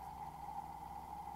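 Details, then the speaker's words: Early fuel-injected Mercedes electric fuel pump on 12 V bench test after opening, cleaning and reassembly: steady smooth electric hum, clear even tone, no grinding or rattle; repair successful. "Let's put some power to it and see how it sounds now."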